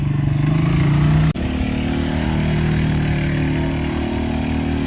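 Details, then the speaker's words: Quad bike after drifting with a full tank: steady, uneven low engine drone with a brief dropout that doesn't sound right; abnormal engine noise, cause unknown. "All right, guys. We might need to wrap it up cuz uh she don't sound good."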